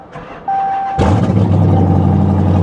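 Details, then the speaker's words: Pontiac G8 GT V8 at salvage auction, worn remote-start key, tuned, exhaust cut off: starter whirs, V8 catches with a sharp bark and settles into a deep, very loud idle with raw fuel smell; loud exhaust from removed exhaust system. "oh they cut the exhaust off of it lovely so they've tuned it with a Hellcat logo on the screen so that's nice"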